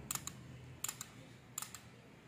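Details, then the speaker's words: IFB Ultra front-load washing machine, dead: pairs of sharp relay clicks repeat about every three quarters of a second and nothing else starts. Relay chatter traced to a weak 12V supply capacitor, which was replaced. "Sound டக்கு டக்குன்னு relay sound மட்டும் கேட்குது but ஆனா எந்த ஒரு ரியாக்ஷனுமே இல்லை"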